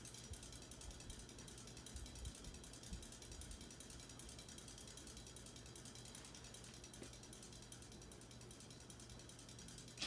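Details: 1980s Hunter Custom Home 52" ceiling fan with walnut blades, running: fast, even clicking over a soft motor hum that stays steady with fan speed. Owner wishes for tape to stop the ticking, cause undetermined.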